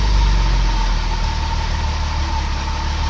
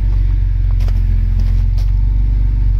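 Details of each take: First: Irmscher-kitted Vauxhall Senator CD 3.0 24V straight six, parked months for cutting out, warming up at idle: slightly uneven wavering idle, cut out while crank sensor wiring was wiggled; intermittent stalling. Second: Irmscher-kitted Vauxhall Senator CD 3.0 24V straight six, parked since August for cutting out and running poorly, after running several minutes on a winter day: steady even low idle with no dips or stumbles; no longer cutting out.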